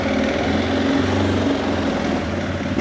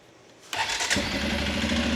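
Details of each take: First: 2006 Arctic Cat 400 ATV, bought because the carburetor needs cleaning and it idles high; lumpy, uneven idle that stumbles and sags, then dies. Running rough and lean; owner calls it typical of a partly clogged jet. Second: 2006 Arctic Cat 400 ATV after repair of air leaks and a carb clean; quick crank, catches at once and settles into a steady, even idle. Normal start.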